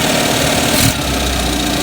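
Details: 1979 210 (4-cylinder, carbureted) after choke fix, idling high with air cleaner off: loud idle chuffing and stumbling unevenly with a sag; still misfiring, pulling wires 1 and 4 kills it, 2 and 3 change nothing; cause unconfirmed.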